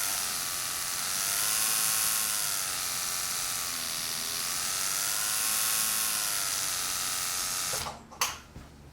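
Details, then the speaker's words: Rotary tattoo machine running as voltage is varied: smooth, even high buzz whose pitch climbs and dips with voltage, like a race car speeding up; it hits as hard at low volts, only slower; normal running. "But it just won't run as fast. And almost like a race car or a motorcycle, you can hear this thing speed up when I turn up the voltage."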